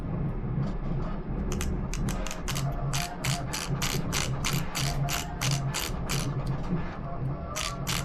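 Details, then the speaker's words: Arrma Mojave 4S after installing a 22-tooth pinion and refitting the cap that centers the diff bearing, gears turned by hand: light, even clicks with no grinding or skipping. Normal gear mesh. "Seems really good. Seems really smooth"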